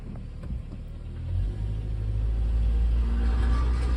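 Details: 2003 Honda Element, after driving 200 miles in limp mode following a downpour: deep uneven rumble swelling with revs over a loose low rattle; loose manifold heat shield and exploded catalytic converter rattling in muffler.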